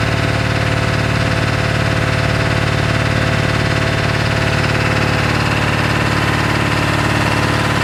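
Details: 1997 Ford F-250 XL 7.3L PowerStroke turbo diesel at 65 degrees just after hard cold start: uneven lumpy idle with steady low drone, truck vibrating and shaking heavily; rough idle attributed to bad injectors.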